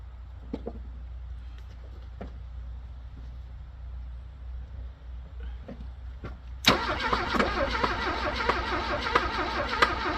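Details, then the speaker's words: Abandoned Porsche 924, engine said to be bad, fuel pump dead after 12 V test: a few clicks, then it catches with a loud, ragged roar that sputters unevenly and won't idle, firing only briefly. Diagnosis: needs new fuel pump and new engine. "current diagnosis is that order for the run it needs a new fuel pump and a new engine"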